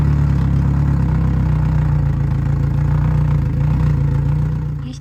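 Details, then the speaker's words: 2014 Yamaha F115 outboard at 1024 hours, run after timing belt replacement and before refitting the timing cover: steady low idle, even pulsing beat and constant hum, no knocks or ticks, shuts off smoothly; normal running. "Après avoir démarré le moteur et vérifié que tout est OK, installez le carter de distribution."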